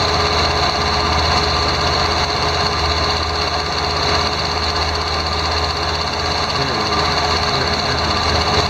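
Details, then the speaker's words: 2001 Ford Escape, 145,000 miles, at idle: quick light ticking about four a second from the A/C compressor/clutch, present only while the clutch is engaged and gone when it disengages; owner unsure if tensioner or A/C clutch, suspects the clutch. "I don't know if that's the tensioner or the AC clutch. I think it has to do with the AC clutch"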